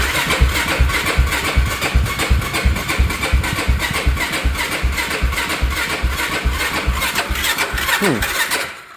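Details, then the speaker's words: Yamaha YFZ450 ATV being fixed for no spark, gas tank off, choke out, has spark and fuel; slow uneven cranking about two and a half turns per second, fading without catching; battery suspected weak, to be charged. "This battery sounds like it's about to die. So what I'm gonna do is I'm just gonna put this thing to charge and pick this back up tomorrow, because this thing definitely has spark and it's getting gas."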